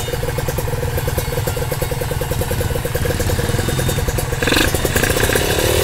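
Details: Kawasaki ZX150 two-stroke just rebuilt with the power valve fitted, run without coolant and with the exhaust not yet installed, using low-smoke 747 oil. A fast, light, even crackle with no knock or rattle; the engine sounds light and runs clean.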